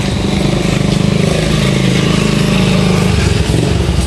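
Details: Honda XRM125 single overhauled two days ago: a loud, uneven internal tapping of three to four a second over the engine beat. Engine knocking, cause not yet found.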